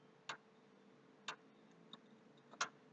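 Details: PlayStation 3 clicking near the hard drive, with very slow startup and reboots despite a formatted HDD, noise stopping and returning; faint, sharp clicks at uneven intervals about once a second. The owner suspects the hard drive, not confirmed.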